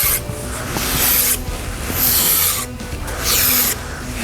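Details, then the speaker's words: S197 Mustang factory rear Panhard bar, being pried down by hand during removal before an adjustable bar goes in: slow, gritty rasping scrape with each lever, like the joint is full of sand; worn bushing or joint. "I wonder if you can hear this on camera, but it's like this thing's full of sand."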